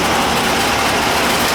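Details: AC outdoor condenser unit before repair, unit sitting hard against the house: outdoor fan runs but the compressor does not; only a steady airy fan rush with no compressor hum underneath, blamed on a bad capacitor.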